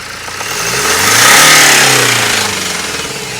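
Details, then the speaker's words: 2013 BMW 118d (E82) 2.0 N47 diesel at 100,000 miles, just after EGR valve fault fixed, revved under load with a heavy knocking rattle on the engine note: bottom end knock, bottom end believed worn out. "i'm going to let you hear the rattle in this engine when it's under load"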